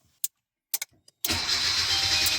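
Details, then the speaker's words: Hyundai Avante HD (gasoline) with aftermarket AliExpress start button: starter spins barely a second and engine never catches, cranking time too short; a time relay is to be fitted to lengthen cranking to 3 seconds. "이렇게 영상에서 보이듯이 시동이 안 걸리는 증상이 있어서 타임 릴레이 설치해서 크랭킹 시간을 늘려 보겠습니다."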